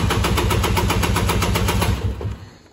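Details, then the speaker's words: 1998 Polaris Explorer 400 two-stroke ATV started cold, which idles around 300 rpm and stalls even when warm. Lumpy, uneven putter that fades and dies within seconds. Rough idle and stalling from an oil-flooded crankcase. "even though it's cold now it'll idle like maybe 300 rpm and just stall out even when it's fully warmed up and everything"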